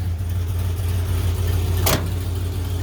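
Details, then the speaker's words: One-owner 1977 Ford F250, 351M V8, C6, about 29,700 original miles, freshly serviced out of storage, warmed up after cold start (~40°F) and throttle blipped to drop fast idle: deep, even warm idle, one brief click, healthy. "She should be sufficiently warmed up. Give her a burp on the throttle. That disengages the fast idle linkage."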